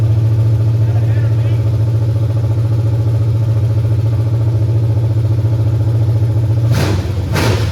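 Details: 1989 Mustang GT 5.0 carbureted V8, high-mileage stock shortblock, GT40 heads, mystery cam, longtube headers, just restarted after fuel pump hookup: deep steady rumble through open pipes, even firing, no misses or knocks; normal idle.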